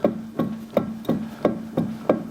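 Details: Ferrari Testarossa with a welded-assembly rear differential and a complaint of rear-wheel noise: seven sharp clunks, about three per second, as the diff is rocked by hand. Excessive backlash, not normal; a 512 TR billet upgrade is considered.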